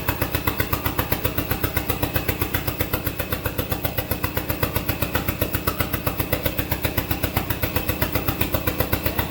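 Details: SRT-4 engine in a drift truck, first test start. A heavy, regular lope of about four beats a second that won't settle. Rough idle with the throttle position sensor unplugged, so idle can't be added.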